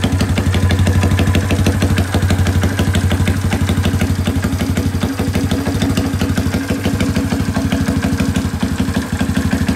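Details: Rare two-stroke motorcycle revived in a workshop, with a long-thread two-stroke plug, good compression and a cleaned carburetor: even, steady idle at about three beats a second with no stumbles or misses. Starts easily.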